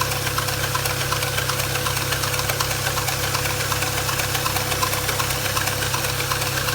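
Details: 2010 BMW 335i N54 petrol engine idling with a light, steady ticking near three a second and a faint constant whine from a noisy engine pulley, which was later fixed.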